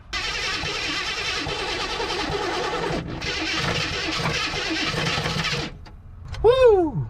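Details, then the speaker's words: 1974 AMC Hornet abandoned 31 years, cranked on old gas: long harsh cranking with a gritty grinding crunch, getting crunchier each spin, and no catch. Owner unsure whether the starter or the engine is at fault. "I don't know if y'all hear that, but that thing's getting crunchier and crunchier every time we spin it. And it's sounding either like the starter or the motor. And neither one I'm excited about."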